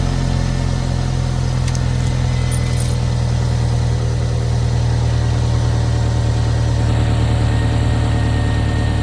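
Steady low idle with a faint puffing pulse riding on it, the kind of note an exhaust leak gives at idle.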